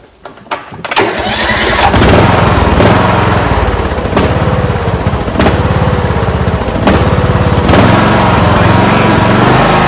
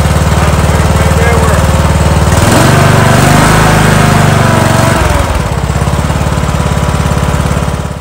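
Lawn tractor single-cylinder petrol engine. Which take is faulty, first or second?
first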